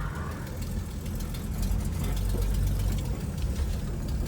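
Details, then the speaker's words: Classic car with an automatic choke whose thermostat had come loose; a low, uneven idle with a lumpy, stumbling beat. Owner suspects an exhaust leak as well; not confirmed. "yeah this thing's running just a little bit rough sounds like it's maybe got an exhaust leak too"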